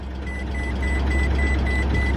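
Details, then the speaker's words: 2006 Maserati Quattroporte with DuoSelect transmission, a non-running salvage car that sat for years: short high beeps about three a second over a quiet idle. The gearbox won't engage. "oh crap uhoh no it's not going into gear we might have just found out why it was only 2,900 bucks"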